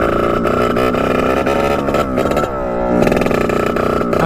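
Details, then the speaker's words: 1989 Yamaha YSR 50 two-stroke, long stored, with carburetor cleaned, bump-started, at full throttle: the high revving buzz keeps cutting out in quick stutters at the top. It breaks up; owner suspects a spark problem and plans a new plug. "see how it just breaks up like that first year all the way back"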